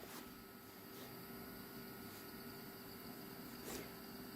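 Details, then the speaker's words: Asus P5N-E PC build at first power-up and POST: a steady whir with a thin constant tone and a few faint ticks; one of the fans sounds bad. Fan noise. "sounds like we might have a bad fan though"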